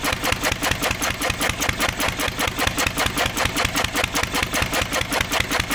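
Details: 1927 IHC M engine, restored 20 years ago and unrun for 19 years, running only on the starting bowl with starter fluid. The AC Delco fuel pump diaphragm failed, owner believes from old ethanol fuel, and needs replacing. Steady chuffing beat, about 2.5 per second, with sharp exhaust barks.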